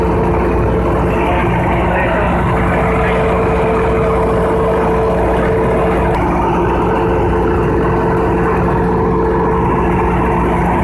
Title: Conduct load test of Generator 3500 KVA# Loud Noise#